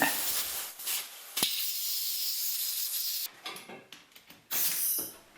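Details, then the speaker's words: Workshop pneumatic airline system under test: steady high-pitched hiss of escaping air that cuts off and returns in bursts; leak found at the gauge. "see we got any leaks well that sounded good somewhere bucket of soapy water you can't go wrong with that I'll tell you where the leaks are"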